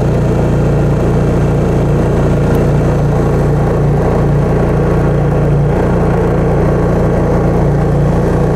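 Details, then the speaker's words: Honda EU3000iS inverter generator (about 150 hours) after maintenance, started warm with a little choke: steady low drone at an even speed with occasional slight hunting, possibly from a not fully clean carburetor; running normally. "Bueno, se ve bastante estable. Hay algún cabeceo cada tanto, pero eso puede deberse a que no está del todo limpio el carburador."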